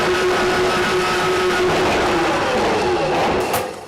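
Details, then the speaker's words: RIDGID K7500 drum drain cleaner with a universal motor, switched back to forward after being jogged in reverse through a turn. A steady motor whine with a faint cable rattle: the machine is running normally before it reaches the obstruction. "I'm going to go ahead and put the Machine of forward and continue to run it"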